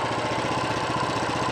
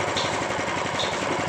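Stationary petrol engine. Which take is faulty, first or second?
second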